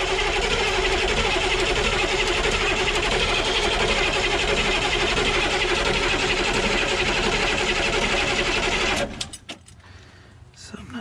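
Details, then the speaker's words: Humvee diesel after valve cover gasket, CDR valve, intake and fuel line work, cranked outside with the injector lines loose (finger tight) to purge air: fast, regular churn of about four beats a second, no firing; still purging air. "push it outside with all the lines loose at the injectors and spin it over and let it spit and sputter diesel all over my driveway and push air out"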